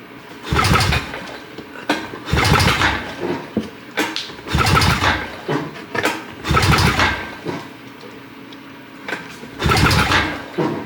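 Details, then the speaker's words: 2006 Honda Rancher 350 ES, no-start diagnosis. Compression test while cranking gives even, strong turnover and reads 110 PSI against a 90 PSI spec: healthy compression. "We have 110 PSI. That's plenty to give us a good running engine."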